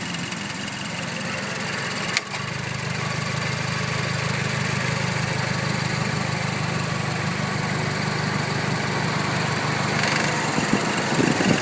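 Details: Mazdaspeed 3, 18k miles, idling with the defroster on: a light, fairly regular clicking about three times a second with a faint clunk, from under the top-mount intercooler area. Owner finds it abnormal; cause unclear.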